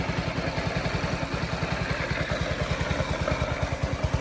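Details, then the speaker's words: 2022 Honda Ruckus scooter after a no-start, idle screw turned up slightly, still cold: small single-cylinder putting at idle about three pulses a second, slightly uneven, now running on its own while purging suspected dirty fuel. "She's quiet, she's running now. So now we need to just let it run and purge some bad fuel out of there, get the engine warmed up, then we'll change the oil once the engine's good and hot, then we'll put the skid plate back on."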